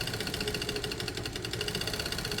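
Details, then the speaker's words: Piaggio Fly air-cooled scooter, freshly oiled, warm after running, choke only just switched off: fast, slightly ragged ticking idle with a strained note; owner suspects either late choke release or the engine fighting toward heat seizure. "what we could be hearing here is heat seizure we could be hearing the engine either the chok's gone off quite late or we're hearing the engine fighting because it's it's considering heat seasoning up"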